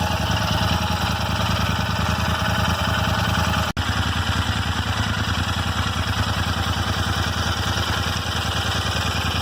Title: Royal Enfield Interceptor 650 :: Random ticking noise in engine